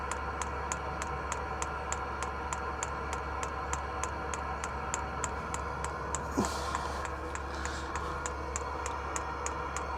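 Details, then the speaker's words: Diesel heater in a van, being refitted to draw from the van's own diesel tank instead of its supplied tank: dosing pump ticks evenly about three a second over a quiet hum, delivering no fuel; heater switches itself off without an error code, owner suspects no fuel and plans priming. "Fuel there or not? No, there's no fuel there. I think it's turning itself off because it's got no fuel."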